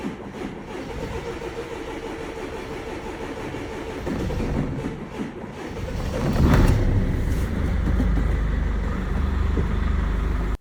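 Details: Tow truck diesel after no-start caused by water frozen to ice in the fuel system and fuel filter, filter cut open: cranks, catches around six seconds and settles into steady, even clatter; runs normally.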